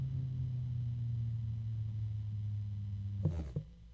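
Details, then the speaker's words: Fan turned down to a lower speed: steady low hum with a rough, uneven undertone from a worn bearing, noisier when pointing up than down, only briefly quieter after the oil spread; worn fan bearing. "oh the bearing noise is going away I guess it finally distributed the oil that's better"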